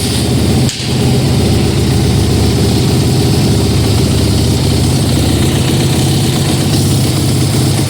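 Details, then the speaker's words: 2009 Kawasaki KX450F dirt bike after crankshaft rebuild, first start, freshly oiled, fueled and coolant filled: strong, even single-cylinder bark with no misses or knocks, no leaks or smoke; throttle very sensitive; normal healthy idle. "she's a mean fire-breathing machine. Sounds good. No leaks, no smoke."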